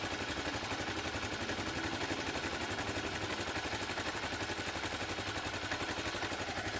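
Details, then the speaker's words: Gen 1 Kawasaki KLR 650 idling for a few minutes after a fresh oil change, before the oil level is checked: steady single-cylinder thump, about four beats a second, light valve-train clatter, smooth and even. "I'm going to turn it on let it idle for a few minutes and then check the oil level"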